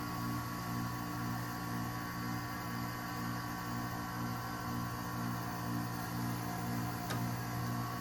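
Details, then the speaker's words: 2012 Frigidaire 5,000 BTU window air conditioner with compressor just started: low steady constant-pitch hum with faint fan rush behind; compressor runs smoothly. "There it is. Wanted to hear that thing start up for a while. It's, in my opinion, my favorite sounding unit my relatives have."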